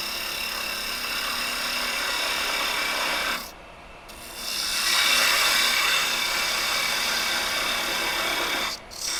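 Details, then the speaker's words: Wood lathe turning a long, thin maple spurtle with a parting tool: a steady rasping cut with fast fluttering chatter as the spindle vibrates. "You can hear how vibration we're getting here."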